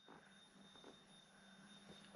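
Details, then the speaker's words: Sherman S electric unicycle after control board swap for a Leperkim replacement, standing on its own; faint steady high whine at one pitch, no grinding or knocking, far quieter than the loud noise before the swap; normal hub motor whine. "so in this one you could now you can still hear a little bit but it sounds more like motor noise and not so much like something's wrong"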